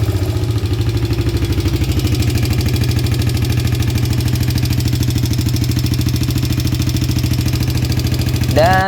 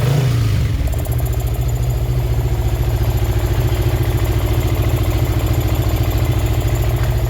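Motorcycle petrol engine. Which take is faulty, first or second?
first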